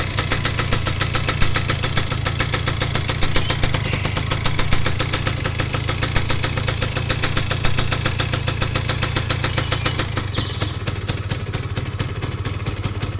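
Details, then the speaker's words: Yamaha F1ZR motorcycle at idle: fast, steady clatter about three to four beats a second, a rough rattle from the clutch area; clutch rubber dampers suspected worn or loose, checked before disassembly, not yet confirmed. "udah jelas ya ini ada sedikit kayak karet kopling sudah oblak atau sudah ause"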